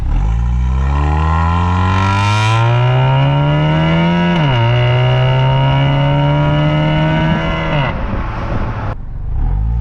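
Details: Honda Accord Euro CU2 K-series with PLM downpipe, high-flow cat, Vibrant resonator and stock rear exhaust: catches cleanly and revs smoothly in one sweep, deep quiet exhaust note, no rasp or rattle; healthy, earlier buzz gone.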